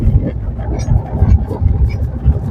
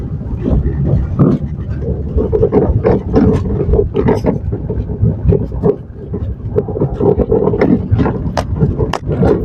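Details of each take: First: 2017 Maruti Suzuki Swift Dzire on rough road, mic under steering: only deep uneven road rumble, no knocking, after replacing the steering rack bush and both front stabilizer link rods; earlier loud rack knock is gone. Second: 2017 Maruti Suzuki Swift Dzire driving downhill on rough road: irregular sharp knocks and clunks from below the steering on the right side, steering rack noise from a worn rack bush.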